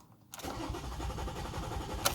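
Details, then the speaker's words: 2007 Toyota RAV4 3.5L V6 no-start: steady starter churn with no firing and no rpm shown on dash or scanner; crank sensor wires ripped out of the sensor plug during alternator removal. "i'm gonna try to crank this over and see if the uh rpm on the dash moves so here we go"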